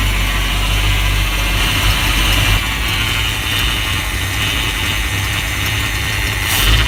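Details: Chevrolet C10 truck after engine degreasing, hard to start, idling steady and loud with a coarse, uneven rumble and no clean rhythm; rough, choppy idle.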